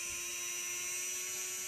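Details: Brushed RC motor spinning free on the bench, timing swept from 12° to 0° to -2°. Thin steady high whine that drops as timing goes past zero into retard. Retarded brush timing slows the motor.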